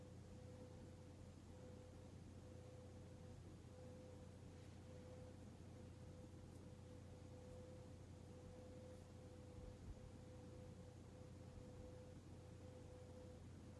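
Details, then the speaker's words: Hunter Mayfair 52-inch four-blade ceiling fan from 1988, barely used, running on medium: a soft, steady motor hum with no ticking, wobble or grinding. The bearings are silent and the fan runs normally. "this thing is dead silent too the bearings make absolutely no noise"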